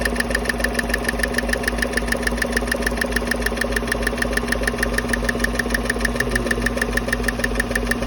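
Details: 2015 Chevy Silverado 5.3 V8 idling with coil packs and rocker cover off: steady fast ticking about three per second from a cylinder 4/6 active fuel management (DOD) rocker on the passenger side; suspected bad roller rocker needle bearings.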